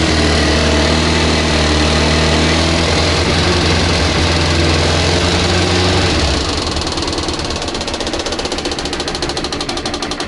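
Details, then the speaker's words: Kawasaki ZZR 400 motorcycle: engine idles briefly then cuts out, leaving quick steady ticking about four times a second, the fuel pump clicking because the fuel tap was off. "And then the noise that we heard in the garage when I started it up for the first time, it's actually the fuel pump clicking away because the fuel tap was off."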